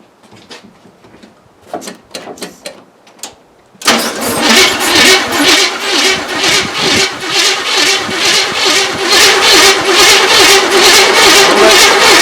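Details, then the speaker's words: Chevrolet K20 small-block V8, first start attempt after about 20 years, no gas in it yet: steady starter whirr with even compression beats about two per second and no firing; no fuel reaching it until primed. "we don't have any gas in it yet no there's we're not getting anything"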